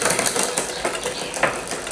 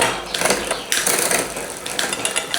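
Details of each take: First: Bicycle rear derailleur on the workshop stand: dry ratcheting clicks and chain chatter, the chain slamming down on downshifts and failing to climb on upshift; shifter cable tension is too low. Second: Bicycle on a workshop stand after adding front derailleur cable tension: freewheel ticking with crisp clicks at each change, no grinding, much quieter shifting down than before.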